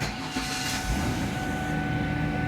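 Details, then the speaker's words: 2000 Ford Taurus wagon with remanufactured power steering pump, idling: steady high whine over even idle from the pump, not the engine; pump failing. "the power steering unit still makes noise it sounds like it's actually dying listen to it"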